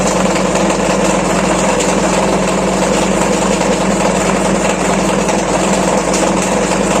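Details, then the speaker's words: Washing machine spin cycle makes a loud, steady generator-like drone, traced to a loose drive pulley nut and slack belt. "तो आपको दोस्तों विश्वास हो गया होगा की मशीन में भी जेनरेटर की तरह आवाज़ कर सकता है उससे आवाज़ ए रहा है"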